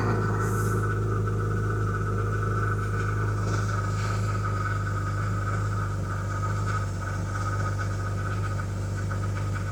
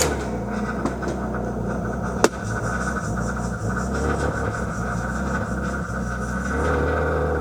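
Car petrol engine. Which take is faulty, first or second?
second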